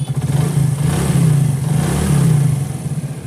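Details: Motorcycle after repairing the cam chain tensioner, which had caused khat-khat noise after a new timing chain: smooth even engine note with steady revs and no ticking or knocking; now sounds like new, normal running.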